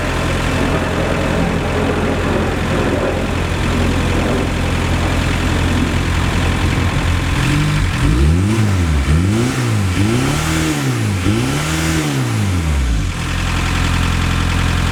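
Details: 1990 VW Golf MK2 GTD diesel after replacing the rocker cover gasket and leaky hoses, still smoking: steady idle then several revs climbing and falling back, with no turbo spool whistle rising.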